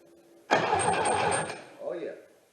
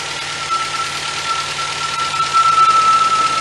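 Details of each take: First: 1977 MGB with Weber two-barrel carb cranks for about a second with steady starter whirr but never fires; previous owner's messy rigged wiring and ignition suspected, new harness on order, spark not yet confirmed. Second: 1977 MGB after budget rebuild, coil fed 12 volts from fuse box, carburetor still to sort: engine ticks over fairly evenly with a faint steady whine on top; runs decently, needs carb tuning.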